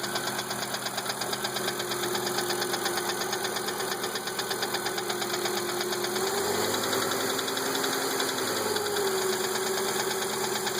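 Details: 1997 Volvo 850 GLT, 2.4L I5 low-pressure turbo petrol engine idling with a steady, rapid knock about three a second over a faint whine; cause unknown to owner.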